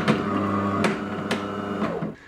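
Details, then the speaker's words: DeLonghi ECAM fully automatic coffee machine during a rinse cycle: motor hum broken by loud cracking, creaking and scraping as the brew unit travels back, a clear sign the brew group is too stiff; coffee comes out very thin. "dann tut es auch bei der blutgruppe wende zurück fährt tut ist schon ganz schön krachen so knarrend kratzen"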